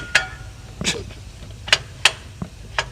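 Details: Chrysler minivan, transmission removed, flex plate turned by hand: sharp metallic clinks, about six in three seconds, from a cracked flex plate (flywheel) on the crankshaft; crunchy noise was also heard while the van sat running.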